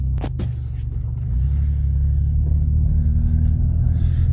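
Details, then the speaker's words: Early-2000s Pontiac Montana van with 3.4 engine at idle, before muffler replacement: a steady low idle with a deep hollow rumble, louder than normal, from a sagging exhaust leaking. "oh as you can hear actually it doesn't sound too bad we have a little bit of an exhaust leak I guess it's hanging down a little bit"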